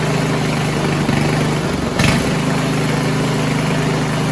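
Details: 1970s Roper 1032 snowblower, probably 10 hp Tecumseh single-cylinder, first run on repaired carb with JB-welded bowl: idle sags and recovers about every two seconds; hunting from lean idle mixture.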